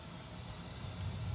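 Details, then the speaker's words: Gas water heater after replacing gas control valve and pilot light assembly, pilot lit and staying lit, setting turned up: soft steady whoosh rising as the main burner ignites cleanly, no pops or bangs. "we're gonna go ahead and turn the setting up to B and you should hear it ignite"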